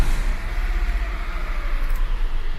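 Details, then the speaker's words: PSA EB2 PureTech engine, clutch pedal up, in a timing belt replacement episode; low, steady idle at about 800 rpm with a slight pulsing but no ticks or knocks, a healthy idle. "Esse motor está funcionando, tá lá em aproximadamente 800 RPM, mais ou menos, né?"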